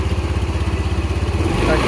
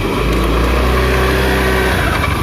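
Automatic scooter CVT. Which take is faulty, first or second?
second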